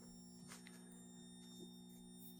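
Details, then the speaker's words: Van LED dimming through a Victron GX IO-Extender and generic PWM modules, front zone below the max setting: faint, steady low hum with clicks. Source is uncertain, either the control board or the PWM switch module. "And one thing I've noticed is that in my front zone, if we're not on the max setting, the switches will start to hum. And I can't tell if that humming's coming from this control board"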